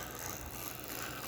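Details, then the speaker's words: Fat-magnet motor gearbox on dyno at three volts: steady whir with soft rhythmic rub twice per revolution; something out of round rubbing, suspected cams catching on gear/worm. "it'll turn on three volts but you hear the r r so there's an out of round or something's rubbing and I think it's the cams cuz you're getting two of those rumps on one rev"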